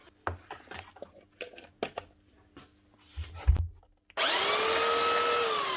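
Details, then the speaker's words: Makita 9911 belt sander from 2000, customer suspected bearings but the drive belt was broken, running after a new drive belt: it starts and settles into a steady, even high whirr with no knocks or grinding; healthy. "that's it one Makita Belt Sander 9911 from the year 2000 fixed up again it's just a new drive belt"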